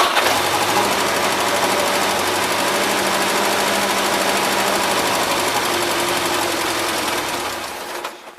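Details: 1977 Gravely GMT 900 running on old stale fuel, carburetor needing work, fuel pump spraying fuel: small engine chatters fast and unevenly with buzzy note, then dies away; rough running, cause suspected, not confirmed.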